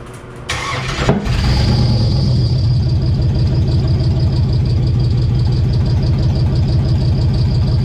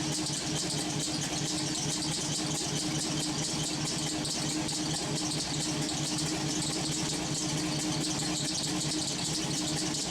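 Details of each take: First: LS-swapped V8 on first start: it cranks and catches, then runs with a deep, lumpy, uneven loping idle. The misfire was traced to the coil pack being mounted upside down, crossing the coil wiring. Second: LS-swapped V8 with homemade headers, warming up, steaming heavily: steady even idle under lots of hiss, no miss or knock; running cleanly.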